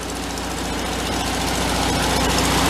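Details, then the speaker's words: 1974 VW Thing, engine running in third gear for about a minute to warm the gearbox before draining gear oil: steady drone, quiet, no whine or growl from the transaxle, normal. "it's running for about a minute or so it's pretty quiet I don't hear it any whining out of the pants in third gear"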